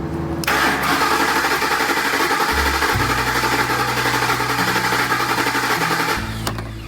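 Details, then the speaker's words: Ford Expedition fire rescue unit V8 cranking about six seconds with an uneven beat during a relative compression test (scope, amp clamp, referenced to cylinder 1); rough idle and popping; cylinder 3 low compression, exhaust cam lobe problem found under passenger-side valve cover. "That's a pretty cool capture. You can see we definitely have a compression issue."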